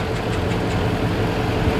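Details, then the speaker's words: 2003 Dodge Ram 1500 Hemi V8, original engine, 390,227 miles, cold start after sitting four days at about 55°F: steady idle with light fast ticking from the top of the engine, normal injector firing, plus a small exhaust leak. "that's them injectors firing you can also hear a small exhaust leak i'm sure i have a few"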